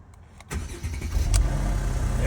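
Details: 2010 Mercedes E550 Cabriolet (C207) starts after its weak, clicking electronic steering lock was freed by striking it with a crowbar: a quiet moment, brief crank, then it catches into a deep, steady idle; normal start.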